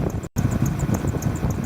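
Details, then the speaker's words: Running engine belt drive: faint quick regular high chirps over the engine rumble; squeak ruled out from power steering pump, idler pulley suspected and later found loose and wobbling. "I could hear the sound and the sound's definitely not coming from the power steering pump so I'm going to check out the idler pulley now"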